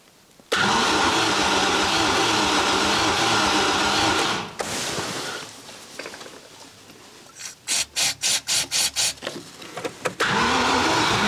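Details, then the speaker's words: Range Rover Classic barn find, sat about 10–13 years: after new spark plugs, resealed leaking fuel lines and primed fuel system, starter cranks in short rhythmic bursts, very close but won't start; brake cleaner used to help; cause unconfirmed. "onoo that was close let go new fuel I'm not going to go all the way today it's very very close"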